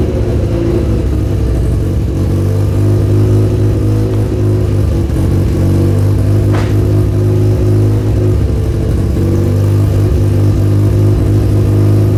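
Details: Mazda FC3S RX-7 Turbo II with a newly welded custom stainless exhaust, emissions and cat deleted, aftermarket muffler; deep, quiet, even drone while accelerating, with a brief turbo spool whistle.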